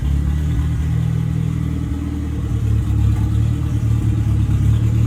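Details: Deep, even four-cylinder idle picking up cleanly with no popping, backfire or missed beats from the '59 Mercedes body on an '87 Ford Thunderbird Turbo Coupe chassis, first run in almost 40 years. After an overlooked fault was fixed it no longer misfires on revving and is healthy.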